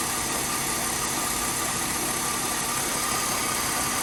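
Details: Mercedes W204 after replacing the accessory belt tensioner (rollers and belt previously replaced without curing alternator belt squeak): smooth even idle, steady hum, no chirp or squeal; belt drive healthy.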